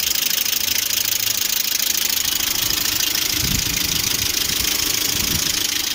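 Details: Lada Priora with 21126 engine, temperature about 90: crisp, even top-end ticking at about three per second over a steady idle, hydraulic lifters tap both cold and hot; oil viscosities and oil pickup changed without effect, cause not yet found.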